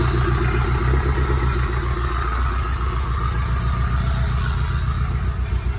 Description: Swapped a bearing into my 5sfte engine that developed a rod knock. Seems like it’s running okay? Send it!